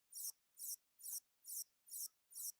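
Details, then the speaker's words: 1982 Philips Videopac G7000 console power supply: thin, high chirps repeating about twice a second, like a slow squeaky printer, as it keeps trying to start and cutting out; a bad switching component is suspected but not confirmed. "Okay, yeah, like a squeaky printer that's printing really slow. So maybe the switchers that switches the transformers bad."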